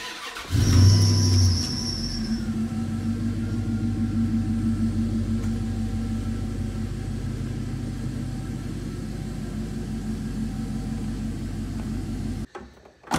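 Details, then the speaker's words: 1999 Dodge Dakota R/T V8 with Magnaflow exhaust; belt had been squeaking on the drive over: starter catches and settles straight into a deep, even, steady burble with no misses or knocks; healthy idle. "I'll start it up it's got a magnaflow exhaust on it and the thing just purrs like a kitten"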